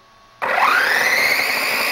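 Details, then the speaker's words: DHK Hobby Maximus RC truck with new larger brushless motor and ESC, static test on stand: clean, even motor whine climbing to a high steady pitch, forward and reverse, no cogging unlike stock motor; normal brushless motor run. "here's reverse absolutely no cogging whatsoever man the stock motor cog something fierce this thing is as smooth as can be"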